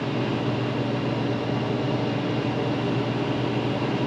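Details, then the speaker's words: Garage heater converted to propane, first fire-up with manifold pressure at 10 on the manometer: steady, even flame roar with a smooth low rumble, no popping or flutter; burner firing normally. "Burning real good."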